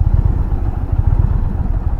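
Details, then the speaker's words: 2020 Indian Challenger Dark Horse V-twin on a test ride in sport mode: uneven low throbbing with a loose clattery edge and a slight stumble; it felt like stalling early in the ride, and the source is unclear. "you guys hear that? I'm supposed to do that? That was weird. That's interesting because right when I first started riding, it kind of felt like it was gonna die."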